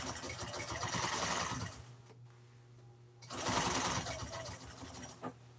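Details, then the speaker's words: Sewing machine sewing seams in gray thread on seat-cover pieces for a 1997 Ford F350: fast, even buzzing bursts with a quiet pause between runs and no knock or bind. Normal stitching. "And just like that you got your pieces sewed. Uh now we're going to start sewing some of these pieces uh together and start trying to put the seat cover back together."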